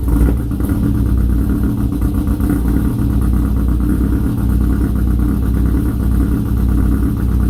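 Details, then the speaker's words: Pontiac G8 GT V8 after torque converter and cam install, first start after rebuild with fluids refilled: deep, steady rumble with a slightly choppy beat, no clear tick, knock or squeal; engine running. "I've put fluids in it, and we're about to start it up for the first time."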